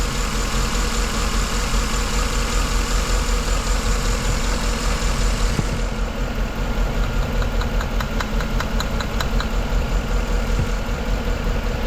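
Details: 2011 Chevy Tahoe with misfire, white exhaust smoke and an injector code: lumpy V8 idle with an uneven, loping beat, about two to three stumbles a second; spark confirmed on number 3, fuel smell, suspect number 3 injector or ECM.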